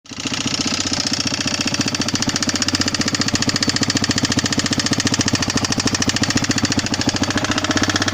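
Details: Yamaha XT 600 2KF engine starts fairly well but loud, sharp, regular tapping about 3–4 per second from the top end at idle, with oil consumption; owner suspects worn piston among other things, not confirmed.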